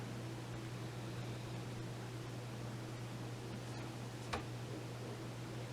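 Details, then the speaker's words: Xbox One S after fan replacement, test fire: soft steady airflow hiss with a low even hum, no rattle or scraping; the new fan runs smoothly and much quieter than the noisy original. "Feel it moving air. Oh yeah. That sounds way better."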